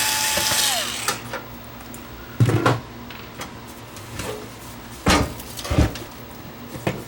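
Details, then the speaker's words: Onkyo TX8020 receiver that shuts off when powered, possibly spilled on, tipped before power-up: scattered light rattles and clunks of loose bits sliding inside; suspected loose debris or component shrapnel rattling inside receiver. "That didn't sound good. It sounds like there's something in it. Did something Did something blow up inside it?"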